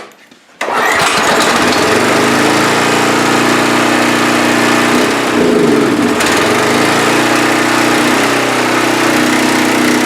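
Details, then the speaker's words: Pressure washer on fresh gas, air cleaner off, cold, choke on, throttle up, thin mystery oil in crank: catches after brief crank, settles into steady, even buzzing run with slight dip midway; runs. "Well, I'd say it runs. Well, there we go. I'd say it's a winner."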